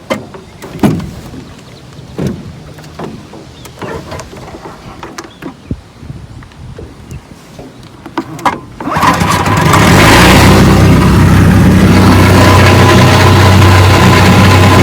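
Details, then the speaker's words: Rebuilt 1959 Evinrude 18 hp fast twin two-stroke outboard, warm, started left-handed. Light clatter from handling, then it catches on the first try and settles into a steady, even run. Normal start. "left-handed, but she starts right up."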